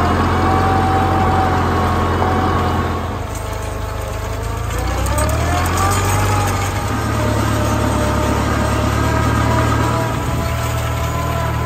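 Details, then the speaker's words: 1955 Farmall Cub tractor running after a transmission oil change: steady low rumble that eases and picks back up with a faint hydraulic whine; the earlier torque-tube vibration is gone, sounds normal. "it was sounding it was some vibration coming out of the torque tube and now there's nothing it just sounds normal"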